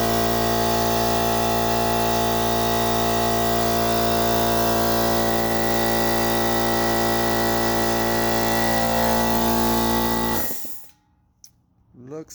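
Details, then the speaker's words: Central Pneumatic 2 hp, 8-gallon, 125 psi air compressor after replacing the failed 100 µF 250 V capacitor: a steady, even motor drone with a fast regular pump beat, about 214 per minute, runs cleanly for ten seconds then shuts off, so it is healthy. "Well, looks like I have a working compressor."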